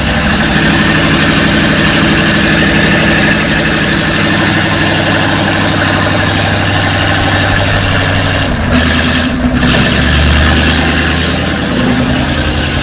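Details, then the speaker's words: Engine after fitting 7600 cylinder heads, first start, carburetor fitted, no coolant yet; runs much better but steady, even idle sits noticeably fast, no misses or knocks; idle speed set too high, needs adjusting down. "need to work on the adjustment here get the idol to finish the idol down a little more"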